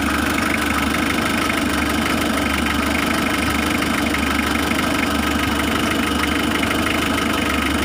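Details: Mitsubishi L300 diesel idling: a fast light ticking of about three per second over the idle. The glow plug relay is clicking "klik-klok" while running, keeping the glow plugs on so the engine heats up fast.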